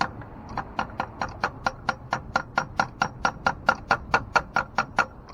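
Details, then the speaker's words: 2009 Ford Flex on a no-crank complaint, with a part that looks to be from AutoZone, on a start attempt: sharp regular clicks about twice a second and no cranking; "not even trying anymore." Cause unknown. "not even trying anymore."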